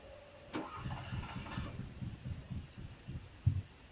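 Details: Fiat cranking: brief catch, then weak uneven low thumps, firing on only 1 or 2 cylinders; won't keep running and gives up. Owner unsure, suspects old spark plugs or wet wires.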